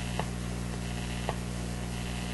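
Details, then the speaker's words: Electrohome PMU51-418 music box radio, first power-up after replacing all the electrolytic capacitors, tuned low on the AM band. Constant hum with a sharp click about once a second as volume surges; strong pulsing interference from a nearby computer is pumping the AVC. "And that's the radio's sensitivity jumping up and down, because the AVC is reacting from the strong pulsing signal from my computer."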